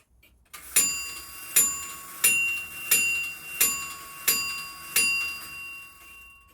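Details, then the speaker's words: Grandfather clock movement checked for beat when refitted: crisp, ringing ticks at an even pace, about one every two-thirds of a second, with no limp between tick and tock. It is in beat, with the crutch adjusted only if the beat were uneven. "Check that the clock is in beat still. It should be if you left it that way, but to check that there is an even tick and tock, and adjust the crutch appropriately if it's not."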